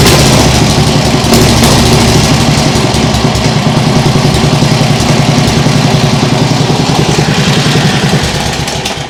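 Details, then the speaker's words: Nibbi G619 walk-behind tractor engine after carburettor work to cure hunting; throttle at lowest position, low steady even idle, perhaps occasional hiccup but a vast improvement. "well that sounds really nice now I think that might still be a bit of a hiup sometimes but it's definitely a vast Improvement"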